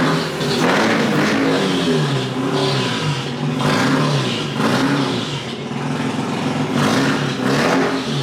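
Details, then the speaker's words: Mazda RX-8 rotary that cranks but won't start: steady cranking with uneven pulses that never fire, note shifting and bogging with throttle. Owner suspects it needs plugs or isn't getting enough fuel. "myself think that it either needs plugs or it's not getting enough fuel, because I can hold the gas down as I'm cranking it, and that shouldn't really matter, but you can actually hear it as the more you press the gas, the more it changes the tone of the way it's cranking."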